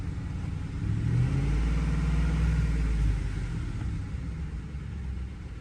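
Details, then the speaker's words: Ford F-150 5.4L V8 with a misfire on cylinder 8 (bank two): engine shakes, feels heavy and loses power when revved, raw fuel smell from exhaust. Lumpy, uneven rumble from one dead cylinder; suspected spark plug, injector or coil. "tiembla un poco la máquina y a la hora de acelerarse se siente muy pesada"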